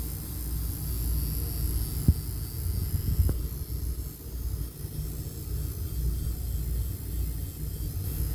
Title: Breaker panel making noise.